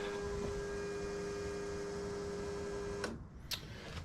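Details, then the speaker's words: Project Zero 24 after tank cleaning and fitting a Holley drop-in fuel pump replacing the external pump/filter assembly, key-on prime: quiet steady mid-pitched hum for three seconds then clean cutoff, quieter than previous pumps; no leaks, healthy priming. "Wow, already I can tell that's a lot quieter than the last pumps, and I could hear it up here. Let me grab the light. I can actually hear the air bubbles in the system cycling through."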